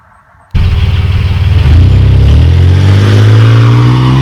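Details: 1997 Chevy Camaro RS, 3.8L 3800 Series II V6, Cherry Bomb Turbo muffler with finished tailpipe turn-down: deep, throaty burble rising cleanly in pitch with revs, no rattles or blowing. Normal exhaust note; interior drone gone.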